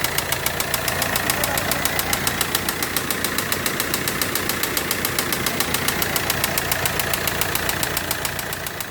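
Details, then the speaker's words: Audi Q3 diesel emitting heavy black smoke idles with a sharp, steady metallic knock, about three to four raps a second; injector check then showed cylinder 1 injector not working and cylinder 3 only partly working. "बा य आप देख सकते हो कितना smoke आ रहा है इसके अंदर से काफी स्मोक आ रहा है इसके अंदर से ये जो साउंड आ रहा है कि सन में से आ रहा है एक बार ये चेक कर रहे हैं"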